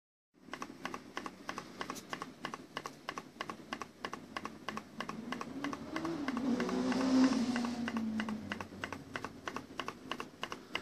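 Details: Amiga 600 at switch-on gives sharp, evenly spaced pops about three a second, with the screen flashing in time, before eventually booting and working normally; never used to do this.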